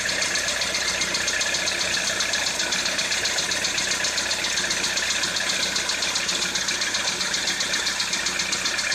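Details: Citroën C4 2013 idling: a bright, regular ticking knock of around four per second over a hissy idle; engine knock, source undetermined.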